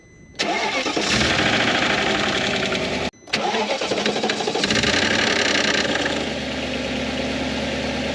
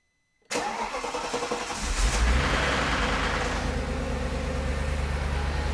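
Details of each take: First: Audi C5 RS6 twin-turbo V8, two cold starts: brief loose metallic rattle fading as idle settles; worn timing chain tensioner pads and springs give free play until oil pressure builds, silent when warm. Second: Audi C5 RS6 twin-turbo V8, first start after fitting new Chinese timing chain tensioners with empty oil galleries: cranks briefly, catches cleanly, idles steadily and quietly with no chain rattle.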